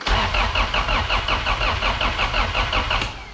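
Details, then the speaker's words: Car not run for 2 years, after a wiring harness repair, in neutral: starter churns steadily at about three pulses a second and never catches; the fuel pump had been forgotten, so no fuel supply. "oh I know what I forgot cars don't start without fuel pumps"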